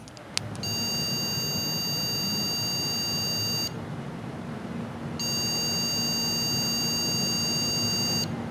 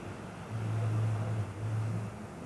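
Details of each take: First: MSI PRO H610M DDR4 (Intel 12th gen) motherboard with both DDR4 8GB memory sticks removed: three long beeps of about three seconds each right at power-on, not repeating, signalling no memory detected. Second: 예, 화면 뜨고 부팅 될 동안 전혀 비품이 안 나네요. 그러니까 부품에 전혀 이상이 없을 때는 비품 없이 이제 바로 부팅이 되네요.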